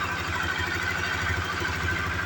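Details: Honda CB Twister single on first start after fuel-pump refill replacement, tank set on unbolted: even idle with steady low thrum and no pump whine over it; pump noise gone, sounds healthy.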